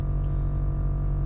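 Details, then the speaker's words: Nissan GTR R35 with newly installed Air Lift air suspension, raising to max height (~110 psi): steady, even low hum at constant pitch, no knocks or rattles; compressor filling the tank normally, stops shortly and isn't heard while driving. "so that noise there if you can hear it's just the tank filling up with air but um that noise will go it's only there for a short time so it fills up all sides off the airbag okay so still going so it will stop so don't worry guys when you're driving you're not gonna hear that noise it's fine"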